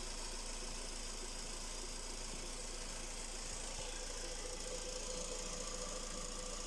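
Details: Skoda Rapid 1.6 CFNA 105 hp at idle, a steady, fairly even knock about four per second riding over the engine; source of the knock unknown.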